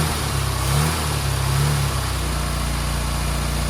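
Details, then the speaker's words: 1275 Austin Maestro barn find, one owner, 40,000 miles, first start in 19 years on a frosty morning with cold start spray and a fluid drip: steady, even low beat with a slight early surge and no knocks or misses. Normal running. "But it sounds pretty sweet, doesn't it? That sounds sweet."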